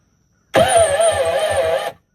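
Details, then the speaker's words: Kawasaki 1100 jet ski with low compression: short straining crank, only three or four sluggish turns per second, then stops. Owner unsure whether the battery is bad or the starter weak. Slow cranking. "Either we got a bad battery or the starter's weak. I don't know which."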